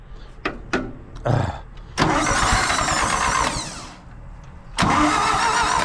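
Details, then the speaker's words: Carbureted engine after new coil, points, carburetor, rebuilt alternator and starter: starter cranks at a steady even pace in a couple of long bursts but never catches because the fuel is shut off; owner sure it would start with gas on. "Well, if I turned on the gas, it would start, I'm sure."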